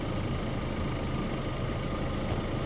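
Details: Vauxhall Zafira A with a no-heat complaint, idling during a head gasket block test that shows no combustion gas: steady, even idle hum with no misses, knocks or surging.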